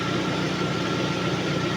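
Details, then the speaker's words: Lada Priora engine idling at about 55 °C after piston and ring replacement: steady soft even hum with no knock, piston slap or dieseling that was present before; quiet normal idle after repair. "Ну, короче, тихо, тихо работает, тихо. Нет этого противного дизеления, этой долбёжки, перекладки поршневой."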